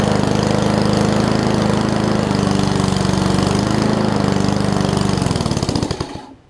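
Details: Murray push mower with Briggs Classic engine, governor spring apparently missing, throttle pulled out for more rpm: brisk, even single-cylinder putter at raised steady speed for five seconds, then shut off and winding down; normal fast idle.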